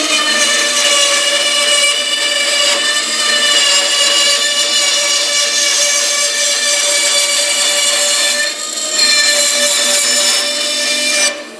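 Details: Small bandsaw test-cutting a curvy line after new tires and fixing a loose wheel on its shaft, the suspected cause of earlier problems: steady, even high-pitched rasp through the curve with no thumping or rubbing; normal cut.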